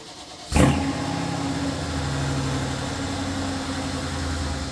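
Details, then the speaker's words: Mercedes GLS63 AMG in extremely cold weather after intake work: catches at once, flares, then settles into an even steady idle with no knocks or ticks; healthy cold start, coolant slightly low. "That sounds pretty good though."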